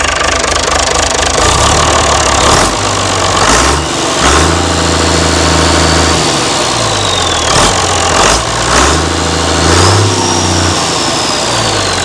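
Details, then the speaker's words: Mystery old six-cylinder Perkins turbo diesel from a farm, no history, second start to test how easily it starts: cranks, catches readily, even clatter with a few throttle blips; starts and idles fine. "We'll try it again. See how See how easy it starts. [Music] Pretty good."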